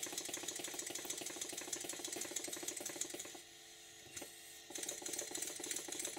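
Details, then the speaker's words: Stuart model steam engine after eccentric adjustment for forward and reverse: quick light chuffs about three a second with slightly uneven spacing before stopping; beats not even enough in this direction, valve timing slightly off, further very fine adjustment made. "I'm making another fine tweak because it runs great in one direction but the beats are not quite even enough in the other direction so I'm making a very very fine adjustment"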